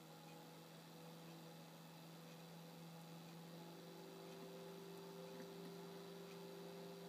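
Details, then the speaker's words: Computer cooling fan on PIC 12F683 PWM controller driven by LM35 temperature sensor, CPU warming with case top off; smooth even hum whose pitch steps up as fan speeds up, about 75% duty cycle; healthy fan running fast. "So you should be able to hear every so often the fan speed kicks up a little"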